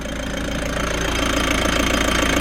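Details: Frankia A595 motorhome, old Nissan diesel, sat 12 years, restarted after filters were installed: oil pressure present, steady diesel clatter at idle with an even, regular beat and no misses; a runner.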